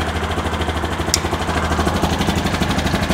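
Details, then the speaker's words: Bennche 500 UTV (knocking and smoking motor) after clutch work: steady low idle in neutral with the clutches sitting still and an even pulse, no knock or clatter. Healthy. "so you can see the clutches are sitting still that's exactly what we want"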